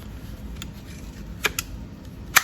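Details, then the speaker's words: New door latch actuator on a C6 Corvette, connected and released with the manual switch after replacing the faulty one: a few soft, sharp clicks about a second apart, softer than expected; latch working normally. "is opening. Good. Sounds like pretty soft, though I was expecting a bigger one."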